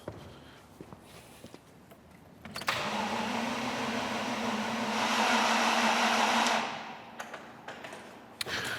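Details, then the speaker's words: 1986 Range Rover cranks about four seconds with the fuel-pressure-sensor hose cracked off, but does not start. No fuel comes out and no pump hum is heard. The fuse looked fine visually; voltage not yet checked, so the cause is unconfirmed. "still no joy, unfortunately. Still no sign of any fuel coming out of our hose here. But also, I still can't hear that fuel pump, and that's really bothering me."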